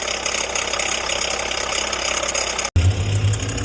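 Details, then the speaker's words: 2019 Jeep Renegade at idle: constant gritty whirring over steady idle, not tied to firing; noise stopped when accessory belt removed, traced to worn water pump bearing. "aonde estava o barulho do motor dele barulho forte de rolamento bomba d'água"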